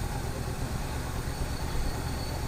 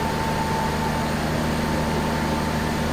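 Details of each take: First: 1971 Buick Skylark at idle after revival on temporary fuel feed: low, even rumble with no knocking or tapping, a little smoke out the back; may need idle set, some vacuum lines unhooked, needs oil change. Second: 1971 Buick Skylark: steady idle about six seconds, then sags, stumbles and quits as if fuel-starved; fuel level in tank unknown, owners suspect mechanical fuel pump not drawing fuel, perhaps dried diaphragm.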